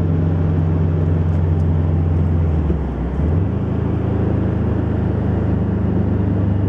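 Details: 2011 Subaru WRX, second day after stage 2 tune: steady low drone whose tone dips and climbs under boost, only in boost and fading at high boost; boost leak suspected, not confirmed.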